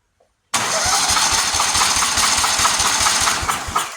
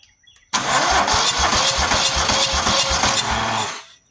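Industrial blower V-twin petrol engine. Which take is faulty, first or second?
second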